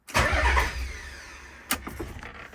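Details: Nissan 300ZX (Z32) after fixing a no-crank no-start issue by plugging in a replacement part: short cranking burst catches quickly and settles into smooth idle — normal crank and start after repair.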